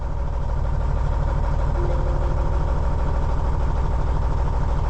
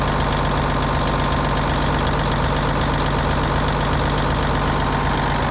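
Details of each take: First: Cummins N14 diesel after a cam job (cam bearings, followers, valve adjustment): deep idle thumping about three beats a second with one dead cylinder; misfire traced to a failed injector, cylinder undamaged, injector replaced. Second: Cummins N14 heavy diesel idling after a cam job (new cam bearings, cam followers, valve train adjusted, valve covers back on): steady, even clatter at about four beats a second, no ticking, knock or miss. Normal idle.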